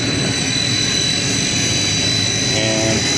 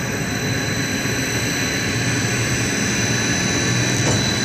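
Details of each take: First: Second 60HP hot closed-loop pump motor run from the VFD through a newly fitted transfer switch, three-phase wired by colour; high steady whine with a rushing roar, spinning fast but moving little. Motor running in reverse; fix is swapping two phase wires. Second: 60 HP hot closed-loop pump on a VFD, after swapping two phase wires to correct reversed rotation: steady, even motor roar with a faint high electronic whine; pump turning the proper direction, normal operation.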